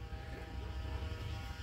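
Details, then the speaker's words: Fuel pump running with the relay jumped on pins 15 and 87, engine off, on a 1984 Mercedes 500SEL W126 with K-Jetronic: low labouring hum, pressure struggling to reach 5–5.5 bar; owner suspects a failed fuel accumulator. "this thing should be running should be running at about five to five and a half bars somewhere in there and and it's struggling to get there"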